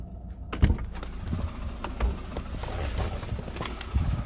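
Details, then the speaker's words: Lada Vesta at idle: dull, uneven thumps a few seconds apart, varying from weaker to stronger, come from the clutch, not the engine or gearbox. The noise goes silent when the clutch pedal is operated. "Так что у кого будет подобный знаете Это сцепление и оно всегда проявляется по-разному то слабее то сильнее"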